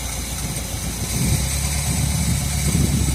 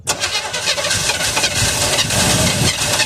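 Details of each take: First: 1978 Chevrolet Custom Deluxe truck, first run after sitting about 21 years, no coolant so run briefly: low, even idle with a brief rise midway, no knocking or missing; accelerator pump seal bad, leaking fuel. Normal smooth idle. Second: 1978 Chevy Custom Deluxe truck after sitting 21 years: rough cranking with ragged pops and backfire that never settles into a run; it fires only on old 50:1 mix poured into the carburetor.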